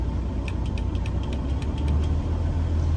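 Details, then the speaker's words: 2012 Western Star 4900FA truck, DD15 diesel 475 hp with 13-speed manual, brought back down to idle: deep, steady rumble with an even beat, no knocks or misses; normal smooth idle. "I'm just going to bring it back down to idle for you so you can hear it idle. You can hear it run smooth."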